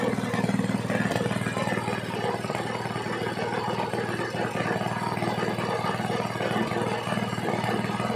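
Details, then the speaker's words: Gasoline water pump engine after cleaning the carburetor, air filter and magneto, tested at raised rpm: loud steady small-engine chatter at a fast even beat with no misses or surges; it now runs normally. "Ayan mga sir umaandar na yung ating makina na na yung andar niya subakan naman natin ditas yung rbm niya Ayun mga Sir okay na okay na maganda na yung andar niya w"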